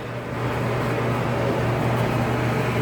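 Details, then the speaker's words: Kenmore 80 Series electric dryer after motor replacement: a steady, even low hum with the drum turning smoothly and no squeal, thump or scrape. The belt is straight and it runs normally. "There, it's running. So it's running here. And Perfect. The belt's nice and straight. It sounds no different if the, you know, it's running on its felt there."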